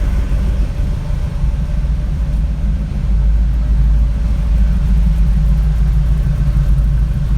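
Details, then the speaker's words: Chevy K10 V8 truck after new MagnaFlow exhaust install, first start-up: deep even burble at idle, steady low rumble, not very loud, no misses or ticks; idling nicely. "Wow. Yep, that's incredible. Sounds good. So it's idling nicely."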